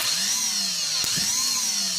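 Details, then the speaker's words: Starter motor from a Mitsubishi 4D56 engine, bench tested by jumping battery positive directly to the motor terminal, solenoid bypassed: steady, even high whine spinning freely with no grinding, so the motor itself is fine; solenoid suspected for the clicking. "Should the motor run, then tells me that there's nothing wrong with the starter motor. Okay. Okay. See, as you can see, starting."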